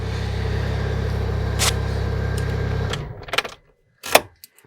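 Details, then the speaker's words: 2008 Chery Jaggi 1.3 petrol after immobilizer P1614 key-chip repair, no fault codes remaining; smooth even idle for about three seconds before shutdown, no misfires or knocks; normal idle. "все машинка завелась помилочок Ніяких немає працює"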